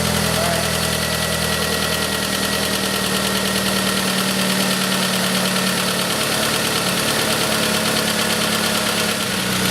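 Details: Pontiac Sunfire 2.2L first start after broken timing chain repair: loud, steady idle with even hum, constant level, no knocking or rattle; engine idling normally.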